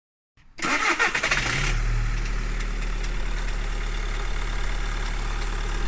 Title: Volkswagen Golf 1.6 TDI Cold Start Rattling Knocking Noise